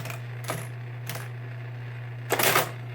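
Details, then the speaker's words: 1923 Marchant EA mechanical calculator after repairs, motor on, adding 573 from the carriage home position. Steady motor hum with short crisp bursts of gear clatter as each cycle runs and clears the keyboard; normal addition cycle. "So let's give this a little demonstration. Turn it on. Carriage to the home position, and then from here you can add like 573."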